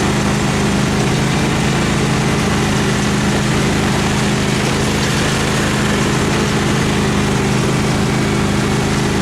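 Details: Craftsman FS 5500 lawn tractor after its carburetor was cleaned and the breather blown out, mowing the front yard: a steady, even drone with a constant low hum and no hunting; the engine runs well and has quit surging.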